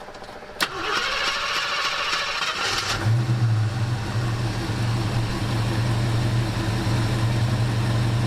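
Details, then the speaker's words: 1974 AMC Javelin, 304 V8 with 727 transmission, new mechanical fuel pump after five failed pumps: starter cranks briefly, engine catches and settles to an even, smooth idle with steady low burble, fuel pressure steady at 7 PSI, no leaks; normal start and idle. "look at that sitting steady at 7 PSI here as I start it"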